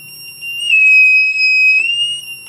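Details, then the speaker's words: Battery low-voltage alarm module 35716 with its set point at 11 V: as the battery drop is simulated below 11 V, a steady shrill buzzer tone sounds continuously and stays on until power is removed or the voltage rises above the set point. "a set at 11 volts okay and it will keep going until you you either remove power or you the battery gets above 11 volts"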